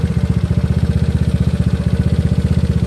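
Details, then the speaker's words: GY6 engine with OKO PWK 30mm carburetor while leaning the air/fuel mixture screw little by little: fast, lumpy, pulsing idle with uneven beat and shaky low drone, engine visibly vibrating more; rough idle. "I'm just turning a little by little stopping listening turning it now you can see here this is definitely vibrating"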